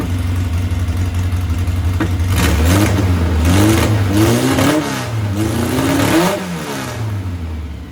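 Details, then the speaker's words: 1641cc engine with Spanish Weber 40 IDF carburetors: lumpy, stumbling rev pickup as the throttle opens. One carb's accelerator pump is not squirting fuel, causing rough running. Owner still needs to check the jets and tune. "this is the spanish ones and sounding a little more rough but it's because uh this injector is not pumping so i gotta check on that"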